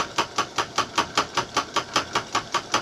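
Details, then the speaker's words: Homemade small metal lathe running at its fastest speed (2-inch motor pulley to 6-inch pulley, step pulleys, jackshaft): even clatter about 2.5 times a second from the loose temporary mounting rattling. "There it is running, rattling on my temporary setup."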